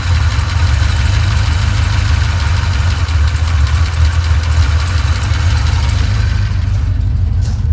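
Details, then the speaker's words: 1989 Ford Mustang GT V8 after tune-up with new spark plugs: deep, steady burble holding an even idle with no miss or knock; runs and idles better, some oil vapor cooking off the headers. "And this thing sounds good. It definitely runs and idles better."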